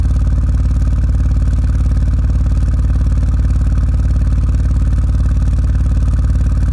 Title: RX7 misfire